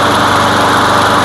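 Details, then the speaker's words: Craftsman lawn mower that came in as a no-start, running after its bad air filter and damaged pre-filter were removed: steady, even buzz with no misses or hunting. The air filter was the fault, so no carb work was needed. "It primes. Let's try it again. Really? The problem was the air filter."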